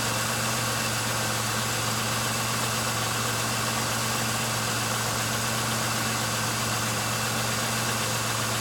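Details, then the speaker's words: 1999 Pontiac Grand Am, about 90,000 miles, previously idling rough and stalling, after new plugs, wires, air filter and a fuel system cleaner: steady, even idle with a constant low hum, no stumbles or hunting; normal idle. "okay well seems to be already running smoother than it was so I'm gonna keep an eye on it"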